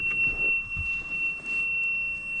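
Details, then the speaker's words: Nissan Gloria Y32 at key-on: loud steady high warning tone with faint clicks beneath, from the HICAS, open door and check engine alarms. A small air-pump-like noise from the braking system was also noted. "And there's beeping. There's lots of beeping happening. What's happening? Oh my gosh, that is quite a loud tone."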